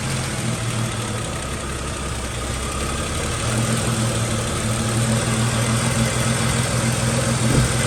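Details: Jeep Cherokee XJ after replacing the camshaft position sensor for code P0340 (Mopar 4897023AA): the engine catches and settles into a steady, even low rumble with no misses, knocks or stumbles. Normal idle.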